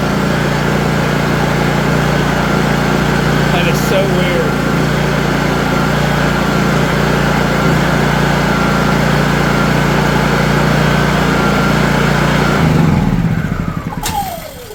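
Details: Honda EU3000is generator hand-started after an ignition switch replacement; it runs great but won't start on the electric starter. Steady, even drone with no surging or misses, then it winds down when switched off.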